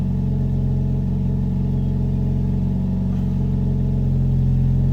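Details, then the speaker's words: Wrecked Jeep Cherokee being rebuilt, push-button start after replacing the old part: low, even idle hum with steady beat, no knocks, misses or whine; no put-in-park warning shown. "okay it's started so far no light saying um put in"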